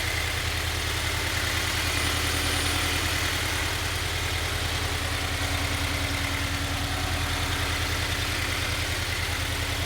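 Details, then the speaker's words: Healthy Toyota 86/Subaru BRZ/Scion FR-S FA20 engine at idle: smooth, even petrol idle with a steady low pulse and no knocking or ticking, as a reference against rod knock. "Here's an informational video on what a healthy engine sounds like."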